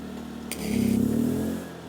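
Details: Generator powering a Bestarc 110V welder stick welding with a thin rod at about 67 amps; the welder was already finicky on a 20-amp breaker. A snap, then the engine surges and strains about a second before sagging: overloaded by the arc.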